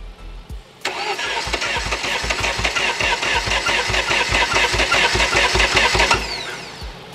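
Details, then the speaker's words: Zhiguli (VAZ) engine with slime put inside, already knocking. Slow, labored cranking at about 2.5 turns a second for five seconds without catching. Suspected cause: slime makes it turn heavily as its viscosity changes with temperature. Not confirmed. "Подглыхает, подглухает. Это тяжело ему крутиться, видимо, с лизунами."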